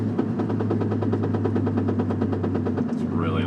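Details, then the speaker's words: 1997 Nissan Maxima manual, knocking from engine bay loudest when lifting off throttle, sometimes on shifts, fading at constant speed and gone with clutch in: rapid even knocking, eight or nine a second, over low drone while coasting. "I go a constant speed the sound Fades and kind of goes away but again when I take my foot off the accelerator like right"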